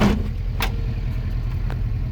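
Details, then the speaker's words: 1967 Alfa Romeo Giulia Super with a newly installed 1600 Nord twin-cam engine, warm after a country drive: steady low burble at a slightly brisk, even idle with no misses; idle speed a little high, to be adjusted. "Idling a little fast, but we'll adjust that."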